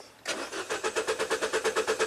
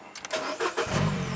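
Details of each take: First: Mini Cooper cranking steadily at about three turns a second for two seconds with no firing at all; an engine computer input fed from a relay and fuse F010 shows 0 volts; crank no-start from no spark. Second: Mini Cooper that had a crank no-start with no spark, after jumpering power directly to the ignition coils: brief crank, catches at once, smooth steady idle, then revved and shut down; starts normally.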